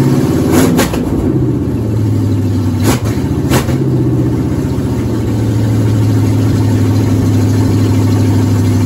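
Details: 1977 Ford F-150 with 351W V8 from a 1985 Bronco, first cold start after fitting BBK 1515 shorty headers, no exhaust fitted: loud, deep, lumpy rumble with a couple of blips, then steady rough idle; raw open-header note.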